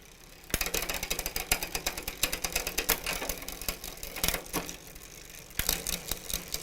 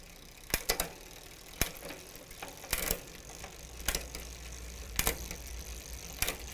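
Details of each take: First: Huffy bicycle with Shimano rear derailleur, pedaled while shifting: irregular rapid ratcheting clicks and chain clatter, skipping gears or refusing to shift; low cable tension, fixed by adding tension at the cable adjuster. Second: Huffy bicycle Shimano rear derailleur after about one turn counterclockwise on the cable adjuster to add tension: crisp, separate shift clicks with no skipping or chatter. It now shifts smoothly.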